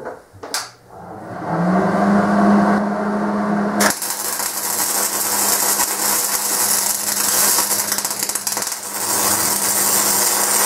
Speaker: so that was a really fast wire speed so it was just putting out way too much wire you guys could hear it popping and it's called stubbing